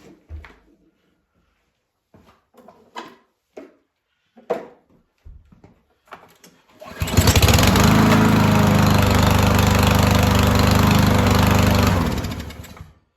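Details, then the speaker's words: Yardworks mower, long stored in a barn, previously stuck cylinder freed, running off the carb bowl: after some clatter it catches and holds a smooth, even drone about five seconds, no miss or knock; runs healthy. "Fired up, stayed going. That was long enough. Yeah, that was running off the bowl and the carb. So that sounded good."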